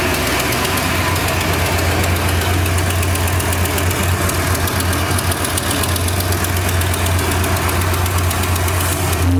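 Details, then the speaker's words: 1968 Ford Torino V8 at idle after revival: a quick puffing tick, about four per second, in time with the firing pulses. An exhaust leak at the front header needs the header bolt tightened; the carburetor also has issues. "Heat. sounds pretty good. Even though it's something up with that carburetor, I got an exhaust leak up front. I have to tighten down the metal bolt. I mean the header bolt Heat."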